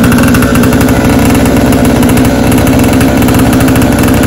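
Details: 49cc ATV under restoration still running noisy: at a fast steady idle it gives a loud, harsh, rattly exhaust crackle throughout; whether the muffler needs replacing to quiet it is uncertain and the cause is unconfirmed.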